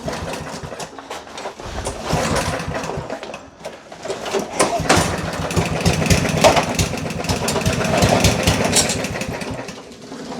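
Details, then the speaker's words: Yardman 139cc OHV 22-inch mower, jets drilled out with 3mm bit, running on PB Blaster penetrating oil: labouring unevenly with hard irregular knocks about three per second; engine knock. "It's knocking pretty hard."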